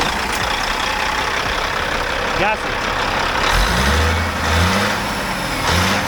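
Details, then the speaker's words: Peterbilt glider kit diesel truck broken down roadside, re-primed after the fuel system was reassembled: it catches with uneven surges and wavering revs and won't stay running. Hard starting, with fuel starvation suspected from air in the fuel or a failing transfer pump. "it just won't stay running uh just sounds like a few few starvations I mean like a few issues in the second air from someone in the fuel system"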